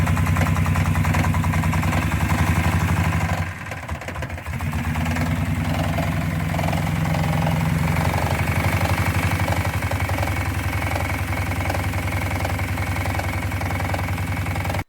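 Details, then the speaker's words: 1934 Morgan 3-Wheeler with a Matchless water-cooled V-twin running sweetly, with a loose, irregular clank underneath; propshaft centre bearing knocking in the transmission tube because its retention sleeve was missing, fixed with a captive sleeve. "So, the engine was actually running quite sweetly in that video, and the noise that you heard, the unusual mechanical noise, the clanking, that's the problem that we're looking at in this video. It's the center bearing knocking on the transmission tube."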